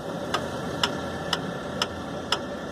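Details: VW AP engine at idle: crisp tick about twice a second over a steady idle; piston skirts slapping the cylinder walls.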